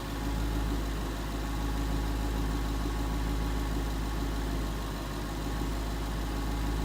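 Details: 2011 Ford Mustang GT 5.0 Coyote V8 with Roush exhaust at first start in an echoey garage, after all eight rod bearings (King CR868SI) and TTY rod bolts were replaced and 5W-30 added: deep, even, loud idle burble; earlier tick and knock gone.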